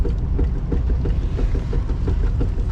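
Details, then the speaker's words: 1962 Ford Econoline "Gail The Snail", driving: a rhythmic clunk about three times a second over the low road rumble, keeping time with the wheel. Cause is a loose wheel shifting on its hub. "What's causing the sound? The wheels going like this. Slightly though, enough to make noise."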